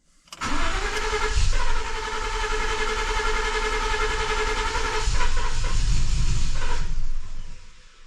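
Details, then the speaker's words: 2014 Ford F150 with ongoing misfire, cranking steadily about six seconds after swapping to a new intake tube without spacer; almost fired but never catches, crank no start; owner next swaps mass airflow sensor back. "tried it tried it almost I thought it was about to fire off there for a second last"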